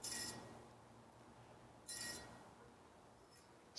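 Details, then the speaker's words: Bianchi San Jose bicycle wheel knocked out of true by a snapped spoke nipple: a zip tie set against the rim gives a brief bright scraping rub once per wheel turn, locating the wobble before tightening the opposite-side spoke. "So move it in until it starts to rub. And so you'll hear that. You'll hear where it's rubbing."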